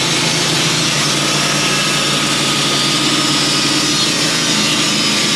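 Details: Band sawmill cutting 1-by boards from a white pine log that sat on the ground a while, brand new carbide blade, after metal was cut out: steady high rushing hiss of blade over even engine drone, no knocks or chatter; clean normal cut.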